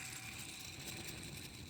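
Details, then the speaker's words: 2004 Chevrolet Silverado serpentine/AC belt tensioner pulley, removed and spun by hand: steady gritty hiss with high ringing tones as it coasts, a worn pulley bearing being replaced; very loud in person. "I can hear if y'all can't hear it I don't know who can because that's really loud in person I don't know how it is on video"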